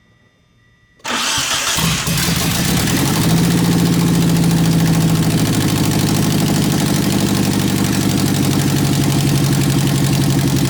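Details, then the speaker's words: 1991 Eagle Talon TSI AWD, first start after months sitting and a new fuel pump fitted: quick crank, fires right up and settles into a steady even idle with no misses or knocks; healthy start. "that's the first startup first time it's ever been running I'm really happy"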